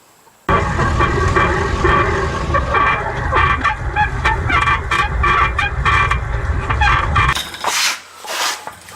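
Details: Truck suspension squeaking sharply about twice a second over a low rumble as the front end works; suspected torsion key, with adjuster bolt no longer centered in it, not confirmed.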